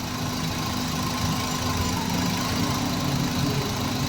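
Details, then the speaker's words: Maruti Suzuki WagonR idling with AC on: constant droning roar and vibration from an aftermarket radiator fan wired to spin backwards, blowing air forward; car sometimes overheats. Fix: reverse the fan wiring coupler. "यह शोर आ रहा है और कंपन दोस्त बनना, और पंखा भी aftermarket इसे स्थापित कर दिया गया है।"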